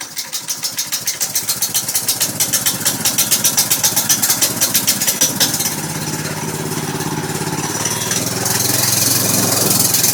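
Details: Baja MB200 dirt bike, 6.5 HP single-cylinder with 3/4" shaft, test run just after installing a torque converter (driver and driven pulleys, belt): engine fires up with a steady, even beat, picking up slightly as throttle comes in; normal running.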